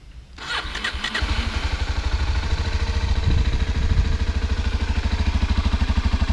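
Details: 2017 Kawasaki Ninja 250 SL before a test ride: catches after a brief crank, then a quick, even pulsing idle with smooth revs and a high-pitched whine from the engine. Normal start and rev.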